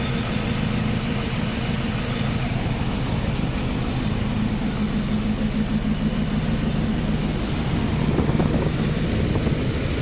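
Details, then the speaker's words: Mercedes W124 (M103) first start on jury-rigged non-original 1K spark plug wires, cylinder 1/4 leads swapped, running super rich: rough idle with a thin, steady high squeal. Owner suspects a rusted pulley. "I think one of my pulleys are rusted. Yeah, I think it's that one right."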